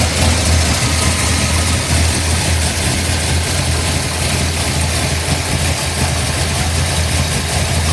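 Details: 1955 Bel Air with newly installed 572 big block (860 hp), hydraulic roller cam, new headers, 40 series Flowmasters, computer still learning, first start: deep steady even rumble, no tapping; healthy.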